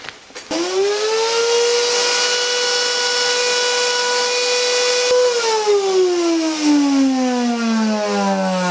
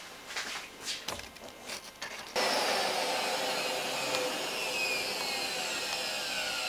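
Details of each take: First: Miele vacuum cleaner after sucking up old carpet underlay residue: loud piercing whine holds steady, then slides down in pitch as the motor coasts off; clogged fan holes unbalancing the motor, fixed by clearing holes with wire and swab. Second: Miele vacuum cleaner after repair: steady, even rush with no rattle or roar, normal full-power running; earlier tremendous noise was motor imbalance from fan holes clogged by carpet underlay residue, cleared with wire and cotton swab.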